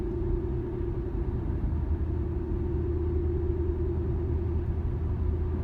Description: My 2013 G37S coupe is making humming sound while driving straight. Starts at around 30mph, gets worse at 50-55mph.